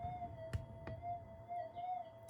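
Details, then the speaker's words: Modified Minelab GPX5000 with an LT1028 channel, in normal mode with factory timings, camera very close to the coil as it turns: a steady mid-pitched tone with gentle warble and a couple of sharp clicks, a normal target response. "But if we have a look here, I'm very close to the coil with this camera, and as I turn it you can hear it."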